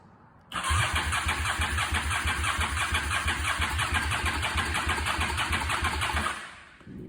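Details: 2004 Honda Shadow VLX 650 after bad starter solenoid fix; steady cranking at about three even compression pulses a second for six seconds with no clicking: the starter turns the engine over properly.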